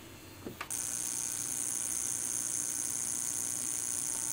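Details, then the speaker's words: Audio Technica AT-LP120 turntable via its USB output to a laptop, receiver off: faint clicks then a steady piercing high squeal; switching on briefly shifts its pitch before it returns; cause unknown. "And again, as I said before, turning it on changes the frequency and squealing for a brief moment, but then it returns right to its its previous"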